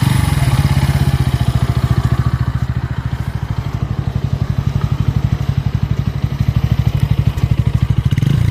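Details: Bajaj Pulsar N160 at a fast idle: even thump with a dry clattery edge on every beat; engine was smooth until its first service at 500 km, then lost smoothness; cause unknown.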